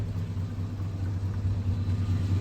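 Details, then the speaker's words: Box Chevy idling: steady deep rumble, louder and rougher than normal because the muffler has a small hole leaking exhaust; owner says it is normally quieter. "All right, so I found out my muffler got a little hole in it right here. Got a hole in it right here."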